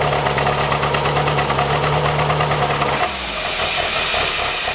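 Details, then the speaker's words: 1985 Pontiac Fiero 2M4 on its first start after an engine rebuild, with fuel delivery and valve action checked: lumpy, stumbling, uneven idle, clearly misfiring, then settling quieter. Smoke is from excess fuel; cause not found. "we vet sounds like hot garbage something obviously isn't right"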